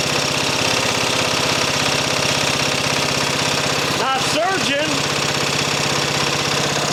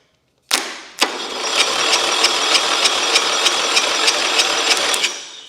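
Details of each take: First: Mower engine after an engine swap, just fired up and idle being adjusted: steady, even single-cylinder beat with no hunting or surging, brief voice over it; running healthy. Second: Engine, sitting outside with water on it, cranked via jumper box to starter with fuel squirted in: steady starter cranking about three beats per second, never catching; no spark, coil fouled.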